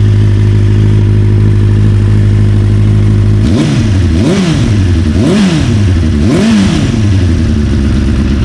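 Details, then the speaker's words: 1992 Kawasaki ZXR400 L2, sat for years, after new carb mixture screws and O-rings: smooth steady idle, then four clean throttle blips rising and falling crisply, settling back evenly; runs perfectly. "I can't believe it it runs perfectly now"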